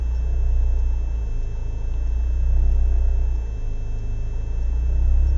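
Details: BMW E36 318is coupe, M42B18, rough idle the same cold or warm: low idle wavers and stumbles every few seconds; smoking, higher fuel use, no leaks found, ICV and MAF cleaned; cause unknown.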